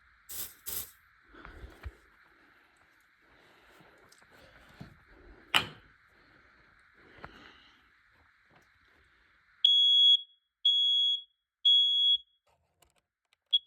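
Three loud high-pitched beeps about a second apart, a shrill piercing tone after the test button press; the alarm is working properly.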